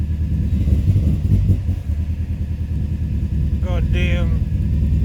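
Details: 2005 Subaru Forester XT with rough idle: low idle wobbles and stumbles unevenly; owner hears it missing, suspects a coil, running rich and hesitating on throttle, with codes read. Cause suspected, not confirmed.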